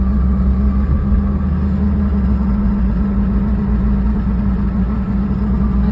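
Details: 1996 Toyota Starlet driven on a cold morning after a week unused: steady low drone with rough gritty rattle/grinding, starting only at higher speed and stopping when slowing; owner suspects a gear issue, unconfirmed.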